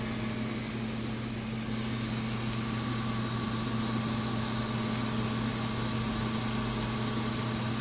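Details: DFI LANPARTY UT nF4 SLI-DR Expert socket 939 motherboard: steady airy hiss over a faint low hum, unchanging; source on the board not pinned down.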